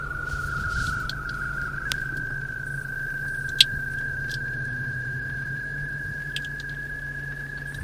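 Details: Car FM transmitter while a passenger's iPod charged: steady high whistle over a low hum with scattered chirps through the speakers; interference from the charging player.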